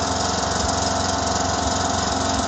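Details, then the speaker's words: 2009 John Deere LA105 lawn tractor single-cylinder Briggs engine, cold first start after tune-up and fuel-system purge: steady even idle, no misses or knocks; running smooth, about 80% improvement. "okay now it's running good smooth it idle"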